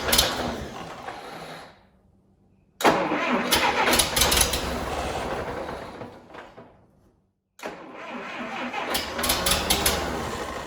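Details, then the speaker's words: Series IV D17 tractor right after head gasket replacement and coolant refill, muffler loosely set: two long bursts of steady starter cranking, engine never fires; owner found another electrical problem, power reaching distributor and coil. "All right, I figured out what's going on. We've got another electrical problem."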